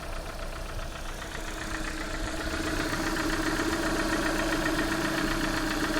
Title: Стук гидрокомпенсаторов приора